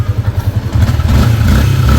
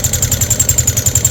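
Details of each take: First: Sniper 150 single-cylinder revving after repair: oil now reaching the head; impeller bearing, water seal, water pump gasket replaced, new coolant. Even idle rising into a clean rev, no top-end ticking; healthy. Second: Yamaha Sniper 150: fast, even ticking over an unevenly idling engine; no oil reaching the head, valvetrain starved, coolant leaking into oil through a failed water pump seal.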